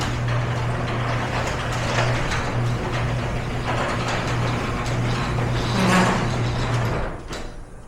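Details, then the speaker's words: Garage door before roller replacement: loud rumbling clatter and low drone as the door travels, caused by worn rollers with lots of wobble and play rattling in the track. "So you can definitely hear the difference on that one. And that's all down to just how the rollers before were performing."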